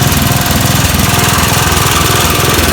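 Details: Snapper riding mower, about 30 years old, after the fix for severe blade vibration. A loud, steady engine drone with an even low pulse and no shaking or thumping; the blade runs smoothly.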